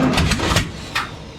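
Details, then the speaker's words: 1967 Camaro, first start after setting the distributor, timing earlier 180° out (not on compression stroke); starter churns, then ragged firing bursts catch and die within a second; owner suspects timing slightly too advanced; brief firing on first start. "Whoa, we got fire. We got fire, we got fire."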